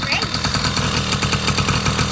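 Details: 1980 Honda Express II two-stroke scooter: quick, even popping idle holding steady without stumbling; starts right up, healthy idle.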